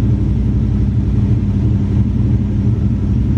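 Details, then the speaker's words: Ford Mustang SN95 carb-swapped V8 during carb tuning, base idle setting: deep burble at fast steady slightly lumpy idle; idle too high, air-fuel 14.6–14.8 but still a little rich; idle screw to be set around 800–1000 RPM. "Okay, so still a little rich. Even with a higher idle, it's still rich."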